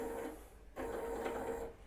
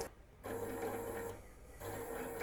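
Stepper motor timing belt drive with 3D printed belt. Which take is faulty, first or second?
second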